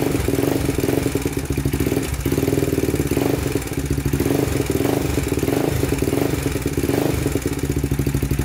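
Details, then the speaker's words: 2000 Honda 400EX single with cheap eBay piston and cylinder, after valve adjustment (0.004 in intake, 0.005 in exhaust): steady idle with fast, even metallic top-end tick still present; cam chain adjustment next, cause not yet confirmed. "all right still making that noise so we're gonna adjust the timing chain next"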